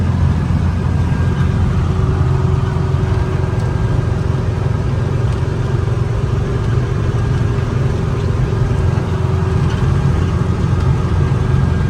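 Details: 1964 VW Beetle air-cooled 36 hp flat-four at operating temperature after a drive; low, even idle rumble with steady beat and no misses, knocks or squeals; smooth, healthy warm idle.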